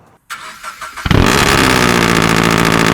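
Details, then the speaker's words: Track car, cold start with new header, over pipe, front pipe and titanium rear exhaust: starter whir then very loud raspy cold idle; guessed 105–110 dB, exhaust far too loud, audible on highway from another car over its own exhaust. "Basically, because of that new header, from header over pipe, front pipe to like the titanium exhaust on the back, this thing is probably putting out maybe 105 decibels, 110 decibels, I don't know. It blows the ears out."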